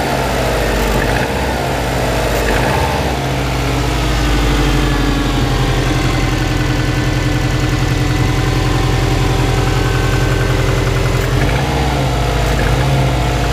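Cold idle with a hollow, steady knocking of about three or four beats a second under the engine drone: piston slap. Cause suspected, not confirmed.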